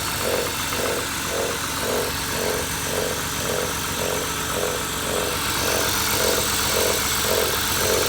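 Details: BMW E39 with M52B20 petrol inline-six idling with a steady pulsing mid-pitched whoosh, nearly two beats a second; extraneous noise of unknown cause, owner wonders whether the flywheel is responsible.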